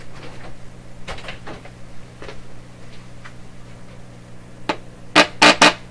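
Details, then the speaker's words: Canadian Marconi Model 93 radio run on reduced AC voltage through dim-bulb: steady low mains hum from speaker with faint clicks, no station audio; audio stage works but detector gets no signal, AM band appears dead. "you have a listen here yeah there's a nice hum coming out of there"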